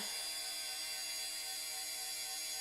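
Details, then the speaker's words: Dell OptiPlex GXa 266 MHz beige desktop at power-on: steady, high, even-pitched whining whir from an angry fan, probably the CPU fan; loud fan noise at power-on. "let's see what it does so far nothing oh geez oh got an angry fan"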